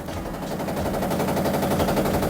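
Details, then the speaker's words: Samsung top-load washer on a spin-only cycle: rapid, hard, regular banging through the whole spin; not the dampers or suspension, broken drum hub suspected but not confirmed. "You can hear the noise. I'm suspecting actually drum hub in a drum hub broken. I think that's why it's making uh loud"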